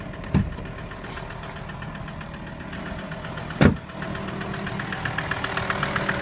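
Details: VW T5 with AXD diesel engine at steady idle: a light tick runs through the sound, with two sharp knocks a few seconds apart. A mysterious engine knock whose cause has not yet been found.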